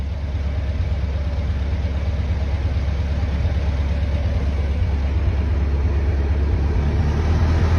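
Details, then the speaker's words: 1922 Ford TT engine idling after a restart when it seemed flooded and needed more air; the idle smooths into a steady, even run once the mixture setting is found, with no misses. "I don't know if you saw heard the the engine sound right there, but it smoothed out right there where I found that spot."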